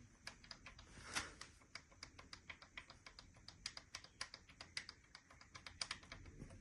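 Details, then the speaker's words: BMW 1200 GS boxer engine, known cylinder-area noise: sharp, dry metal clicks, about four a second, as a loose pin rattles in its worn seat; fixed by drilling and tapping an M4 hole and locking the pin, after which the noise stopped. "вот слышно, да, звук от разбитого посадочного гнезда."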